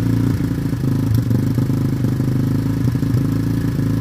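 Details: Yamaha Warrior ATV single-cylinder, new plug and fresh oil, old carb still fitted, sat a week with fuel on hoping to clean it; owner plans carb swap. Uneven, lumpy beat with stumbles and irregular clatter instead of smooth idle: rough running.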